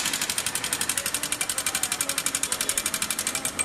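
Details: 2014 Honda Titan 150 that began making noise one morning. Oil is not rising to the cylinder head, checked at the head inspection screw. Rapid, even sharp metallic ticking, about nine per second, over a faint engine. Dry, seized rocker-arm roller, before repair.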